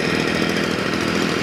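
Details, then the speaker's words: Stihl FS 55 trimmer that started then died and wouldn't rev, after a carburetor rebuild: a high, buzzy two-stroke note holding steady with no dips or stumbles, running more steadily as it warms up. "вот сейчас она прогревается по устойчивее немножко работает"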